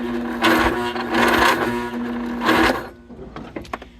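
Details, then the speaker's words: 2004 Husqvarna YTH2348 yard tractor, 23 hp Briggs & Stratton, 610 hours, sitting ~10 years, cranked on jump box: starter whirs in slow heavy surges then trails off; labored cranking, owner suspects poor ground connections. "okay um so that does not sound happy"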